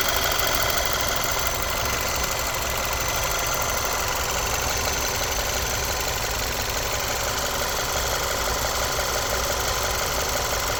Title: Audi A4 B8 Steuerkette / Motorgeräusch